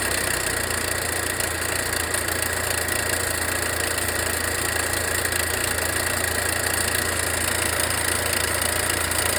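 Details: Volvo V60 B4 mild hybrid at idle after wastegate rod replacement: a light, fast metallic rattle rides over the engine note and remains. The turbocharger was then replaced under warranty and the noise disappeared.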